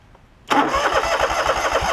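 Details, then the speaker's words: John Deere LX188 lawn tractor with new aftermarket carburetor: fires suddenly, then runs lumpy with ragged pulses as gas drips from the carb bottom; flooding, suspected stuck needle and seat or float. "flooding out really bad actually you see it dripping down there in the bottom interesting"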